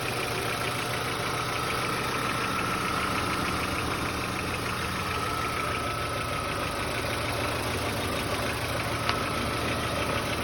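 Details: VW Passat B4 engine at idle: faint, fairly quick ticking about three a second under the steady engine note; owner unsure whether it knocks or is normal, no cause evident.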